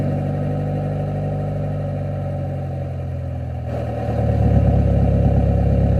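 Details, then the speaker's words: 1996 Honda Civic CX, D-series engine, old worn cheap aftermarket exhaust before replacement: deep, steady drone at idle that swells louder as revs rise. A loud, droning exhaust. "this honestly is like the worst sounding one of the worst sounding Civics I've ever heard. It's It's pretty bad."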